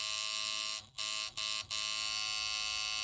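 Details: Reworked Temu coil tattoo machine running 7.6 volts, 106 Hz, 40% duty: fast, even high buzz with a couple of brief dropouts where it stops and restarts; runs smoothly and reliably.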